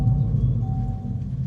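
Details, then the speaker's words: 2024 Dodge Charger Daytona EV that wouldn't respond after its 12 V battery ran low: deep even synthetic Fratzonic rumble at switch-on. The car reaches ready normally. "We have ready. It has started this time. You can hear that fret sonic."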